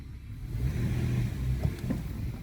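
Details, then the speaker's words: 2014 Toyota Sienna after tightening a loose top engine torque mount that caused clunks: steady low engine rumble through drive, acceleration, braking and reverse with no thump or clunk; drivetrain held firmly. "Set on drive. No clanking. Acceleration. No clumping. Brake. No clanking. Reverse. No clanking."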